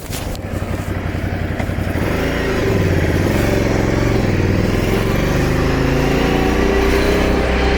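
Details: Scrambler Sixty2 motorcycle engine running with a rough, uneven beat and some scraping under the exhaust note; strange abnormal noise, cause unclear.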